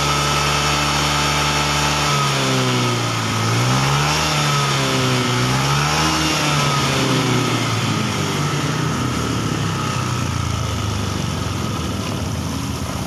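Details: Honda Beat ESP fuel-injected scooter revving up and down with a slightly uneven, wavering pull on blips, still hesitating a little under throttle. Hesitation ("brebet"); coil resistance normal, slight wiring corrosion; data judged only about 75% normal, O2 readings questioned.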